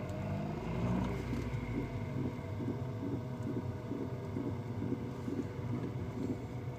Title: Mc2 knocking / grating sound